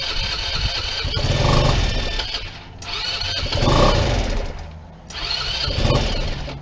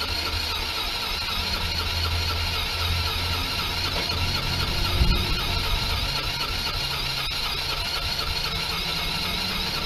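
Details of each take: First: PGO T-Rex 150 scooter (about 2012), unused for years: fires, revs, then sags and nearly dies in repeated surges about every two seconds; idle and main jets blocked, carburetor diaphragm possibly cracked. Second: PGO T-Rex 150 scooter, about 2012, after cleaning fully blocked carburetor jets: small single buzzing at a fairly steady idle with a bright, raspy exhaust note once the idle was adjusted; still needs a tune-up.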